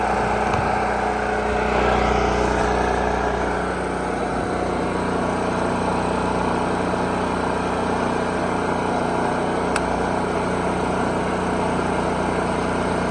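Steady, even drone from the small engine with no surging or hunting over thirteen seconds; it is settled and running smoothly.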